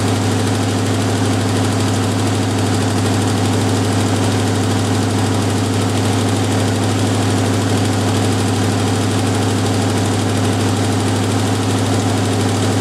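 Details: Jeep M715 army truck, fuel injection removed and converted to carburetor, old cold start; deep, even idle holding a steady low beat, no miss or surge, running smoothly on its carburetor; normal idle.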